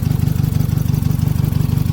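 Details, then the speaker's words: 2001 Honda Civic LX idling while being warmed up hot to cycle the cooling fans: fast even pulsing rattle on a steady low idle, in time with the engine; a loose part rocking back and forth, which stopped when touched. "is this thing rocking back and forth. For the longest time I'm like, what the hell is that sound? And then I touched it and it stopped making it."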